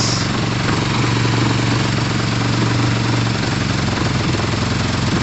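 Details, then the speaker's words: Warm motorcycle idling steadily and evenly with a soft constant whoosh from the radiator fan, which has just kicked on. The coolant is plain water and pod filters are fitted. The temp warning light is on, but the fan working is considered okay. "so we're running we're idling we're revving like crazy uh the temp warning light is on now but the fan was in so that's kind of okay"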